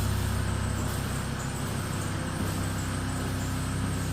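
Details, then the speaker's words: Van that another garage couldn't get running, now running after a mechanic's work. A steady, even low idle rumble with no knocks, misses or stumbles; idling smoothly and healthy. "John worked his magic, done a bit of this, bit of that, and as you can hear, she is running."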